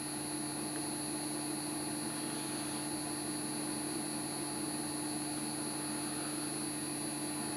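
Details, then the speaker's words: BEST BST-863 hot-air rework station, new blower just fitted: steady airy blower hiss with fixed hum and high whistle, pushing air but not heating; cause later found to be blown thermal fuse, no heat. "all right i can hear it spinning so yeah it's pushing air but why is there no [Music] yeah it's not heating up so that's not great"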